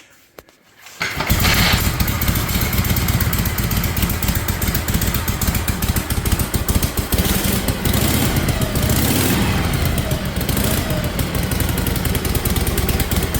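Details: 1956 Harley-Davidson FLH with Bendix carburetor, now on full exhaust instead of open drag pipes, restart: loose lumpy idle with the odd sharp pop back through the carb; lean-mixture sneeze, air screw may need adjusting.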